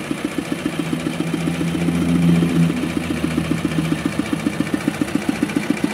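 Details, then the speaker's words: Kubota RD65DIS diesel after cylinder head service, exhaust fitted, driving a soil-grinding machine under load: steady idle with a light, regular rough clatter at about four per second. Smoke is gone, but worn engine gears are rattling. "Namun, masih terdengar sedikit suara kasar. Hal itu memang disebabkan oleh roda gigi mesin diesel yang aus atau sudah tajam."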